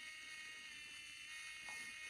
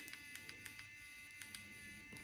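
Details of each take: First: Geeetech SL300 3D pen version 3, unloading filament: thin, steady high whine from the tiny geared motor running evenly in reverse with no catches or stalls; loading and unloading work normally. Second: Geeetech SL300 3D pen version 3 at 167°C: faint motor whine with irregular sharp little pops, a few each second. The filament is popping because the nozzle is too hot.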